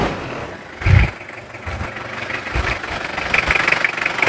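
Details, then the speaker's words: 1999 Toyota Kijang Krista diesel, warm after driving: even idle clatter with a few bumps over it and no knocks or odd noises. It is a clean, healthy idle, with only slight thin smoke. "Tapi untuk suaranya sendiri ini suaranya masih bersih, nggak terlalu ada suara-suara yang aneh."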